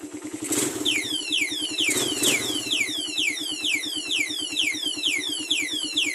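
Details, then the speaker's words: Raider carbureted motorcycle on a cold morning: one-click start, then an even, quick single-cylinder idle that holds steady without dying. Good condition. A top-end tick that fades after about 20 seconds is attributed to oil. "kapag good kondisyon ng ating motor sa awa ng Diyos kapag click natin start agad tapos hindi siya namamatay ayan siya"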